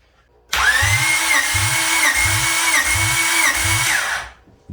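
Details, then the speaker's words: Freshly rebuilt Honda B16 in a Civic, cold and never started, cranked with spark plug out for a compression test: starter spins evenly, about 2.5 turns a second, with no catches or scrapes; healthy cranking. "It sounds like it's cranking well. Nothing sounds like it's interfering or not moving smoothly."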